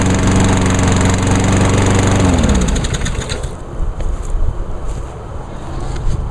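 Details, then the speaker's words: 2003 Craftsman push mower with a Honda GCV160 overhead-cam engine, started on choke; even, fast beat at a steady pitch that settles lower as it slows, with no missing or uneven strokes. Healthy. "Alright, that one's good."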